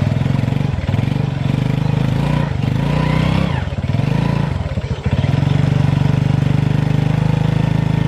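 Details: Honda Revo FI motorcycle lacking power, first gear unable to climb a board-height ramp: engine drones and rises under throttle with surges and dips but no pull, droning louder at high throttle.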